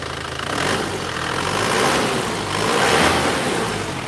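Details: 2016 Isuzu Panther GT diesel after overhaul with new piston rings and flipped liners, fixing smoke and oil from the dipstick, warm: even steady clatter rising and falling smoothly with throttle, no odd knocks; normal running.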